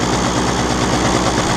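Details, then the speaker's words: Two-stroke scooter carburettor: backing out the mixture screw makes a steady busy buzzy lean run with no burble; screw likely loosened itself, causing the lean problem; screwing in drops revs as expected. "То есть, смотрите, если я его выкручиваю, вот видите, мотор стал беднить. Слышно, вот эта беднота пошла."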